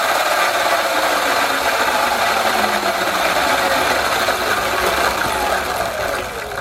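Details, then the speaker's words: Sur-Ron with Luna Cycle 219 primary chain kit spinning on stand after front sprocket reshim: gritty grinding over thin motor whine; front sprocket worn to saw-blade hooked teeth. "see he goes you hear like a kind of grinding sound yeah it doesn't sound good um which way does it spin forward i think this sprocket is already wearing out too"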